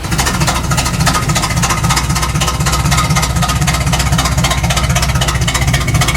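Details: KITT car being tuned, vacuum lines being checked, fuel age unknown: uneven, lumpy idle with a shaky pulse and irregular exhaust beat, engine shaking; running rough, not dialled in yet.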